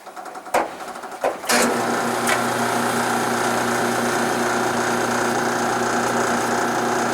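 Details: 1976 Westinghouse electric dryer, 43 years old, empty, hard starting: a few knocks at start then steady motor hum with light rubbing rattle; worn motor bronze bushing tilts the pulley so the belt rides against the tension idler.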